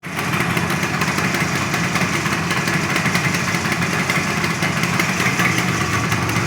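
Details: 1974 Yamaha RD 350 two-stroke after a coil lead connection was remade and a double fault fixed: even, buzzy idle with a crisp, rapid exhaust note and no misses or stumbles; running healthy again.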